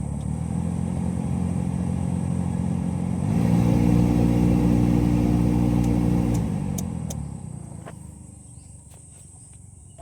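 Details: Car AC blower motor running: steady ticking, nearly four per second, over the fan roar and growing with blower speed. A foreign object is caught in the blower wheel.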